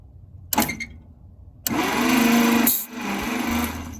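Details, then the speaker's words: 1950 Packard barn find, unrun for about 40 years, cranked on the starter with spark plugs removed; air hisses hard past a finger over the plug hole, showing good compression and a good chance it will run. "The fact that it pushed all that air past my finger tells me that it has compression, and there's a pretty good chance this thing's gonna run."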